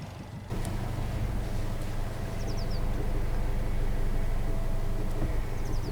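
Steady low engine hum with no squeal or chirp from the front belt; the drive belt runs quietly.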